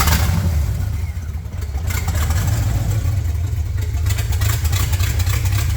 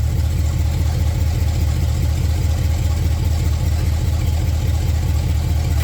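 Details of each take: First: Rough idle through an open header on a freshly built chassis: loud, low, uneven lumpy beat that never settles, though it keeps idling; cause of the rough idle unknown. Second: Open-header engine in a Datsun build, first time it has ever idled since install, warming toward operating temperature: deep, even idle lope with no misses or knocks, fairly quiet; idle improves as it settles.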